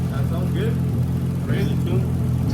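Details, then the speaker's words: Toyota Chaser GX100 with swapped 2JZ-GTE on first startup after wiring, untuned and warming up while burping coolant: steady, even low idle with a smooth rumble and no knocks or stumbles; sounds healthy. "All right, I think we got first startup. >> She's alive. >> What do you think, Oscar? Sounds good."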